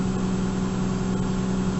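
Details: 1998 Lexus GS300 after fuel pump replacement; system primed, then the engine cranks and starts: short steady idle with an even low hum, no stumbles or ticks; running healthy.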